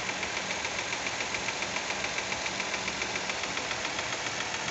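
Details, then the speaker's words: 2023 Fiat Argo 1.0 Firefly, engine warm at idle: fast, even light ticking, about three or four per second; the owner suspects a lifter (tucho) noise and is unsure if it is normal. "faz aquele barulho de pulso mecânico né eu acho que não deveria fazer esse barulho"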